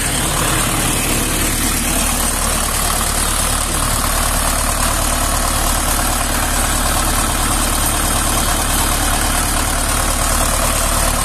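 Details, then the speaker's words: Tractor diesel after head gasket repair and coolant level rise fix: steady, even chug with no misses or knocks, coolant no longer rising, temperature OK, oil pressure 5.5 at 1200 rpm; normal idle. "No teraz jest wszystko w porządku płyn chłodnicy nie rośnie temperaturę OKE także"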